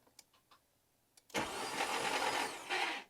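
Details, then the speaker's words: Mk2 VW GTI with 5-cylinder engine swap and its swap harness/ECU back, first crank with spark plugs out: about two seconds of harsh, raspy, high-pitched grinding whir, louder than a healthy starter; noisy starter, cause unknown. "as you can tell it cranks so that's good the starter makes a whole lot of [ __ ] noise though so I don't know what's up with that but it cranks so that's cool"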